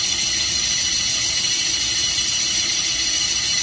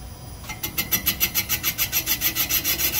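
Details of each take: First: 360 Mopar small-block boring with bores straight up and down to the main bore: steady high-pitched cutting hiss and whine, constant with no chatter or surging; cutting pretty even, centered at the apex. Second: 360 Mopar small-block, boring cylinder number 3: steady scraping pulses about three and a half a second as the bar turns, an interrupted cut at the uneven chamfer, cutting one side at top, the other at bottom.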